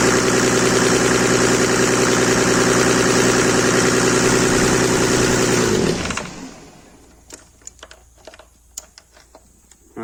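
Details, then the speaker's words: Mercedes W124 with OM606 diesel swap: engine holds a high steady roar for six seconds, then drops sharply and shuts off; revs hanging up or possibly running away, cause unknown. "sounded like it was running away, or it was holding that high rev."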